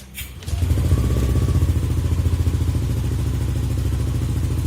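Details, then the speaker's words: Yamaha fuel-injected motorcycle after fixing error 37 from a faulty ISC (idle speed control) and clearing code: engine catches and settles into a low, even idle, no hunting or surging; idle speed back to normal. "langsamnya pun udah normal lagi Ya"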